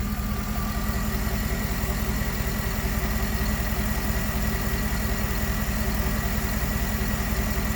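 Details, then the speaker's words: 2011 GMC Sierra 1500 V8 with 120,000 miles after a failed oil pressure sensor was replaced (it previously had a slight tick and lope): smooth, even, quiet idle with no tick or lope; normal idle. "$120,000 miles on this thing, and it sounds like new. I mean, really."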